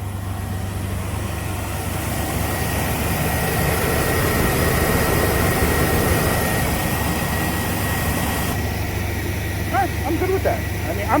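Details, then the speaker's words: GMC Sonoma dead-cold start after an oil cooler line repair, where the wrong clip had left the collar unseated: settles into a smooth, even idle with a steady low hum, good oil pressure, no knocking or ticking; healthy. "all right we've got good oil pressure it sounds good didn't make any noise"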